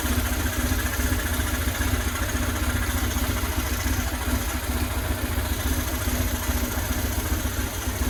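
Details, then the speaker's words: 2000 Buell Cyclone M2 V-twin after new lifters to cure lifter tap and a new battery: lumpy, steady V-twin idle with no top-end tapping, only breather noise heard; sounds healthy. "Oh boy. Sounds like a runner. Only noise I got is just from the breathers, which that's not unusual because this stuff is sealed off."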